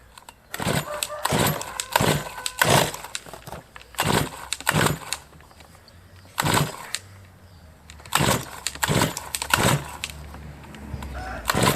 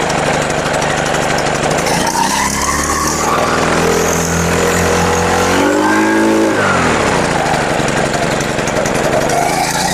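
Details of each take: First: Brush cutter started after winter with fresh fuel, primer bulb pumped, already hard-starting since autumn: repeated recoil pulls, each a brief sputtering catch that dies out; hard starting. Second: Brush cutter after winter, started on the second day after carburetor needle adjustment plus fresh fuel: small four-stroke revs up and down smoothly without stumbling; running healthy.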